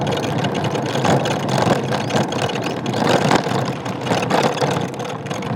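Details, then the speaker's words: Ola S1 electric scooter: a loose plastic buzz and rattle over steady road and motor noise, flaring on bumps, from the dashboard panel; it started on a 160 km trip over rough road. "तो कुछ इस तरह का sound अभी मेरे scooter से आ रहा है।"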